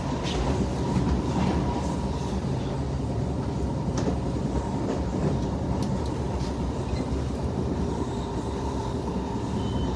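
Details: Front rail car just starting to roll: a heavy low rumble with faint uneven thumps and a ringing tone, from a bad wheel on that car.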